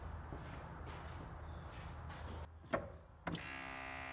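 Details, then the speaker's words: Electric brake vacuum pump added to a diesel Honda Insight chatters on and off in quick bursts before a steady electric whine as booster vacuum drops; short-cycling blamed on the vacuum switch, which is part of the problem. "and yep the pump comes on as soon as the vacuum in the booster drops perfect now I'm sure you can hear the chattering and that's a problem now according to the reviews on Amazon people are blaming the vacuum switch and yeah it's definitely part of the problem"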